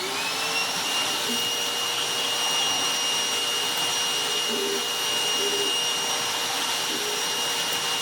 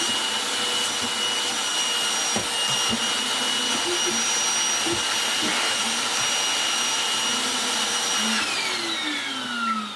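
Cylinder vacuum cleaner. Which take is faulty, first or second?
second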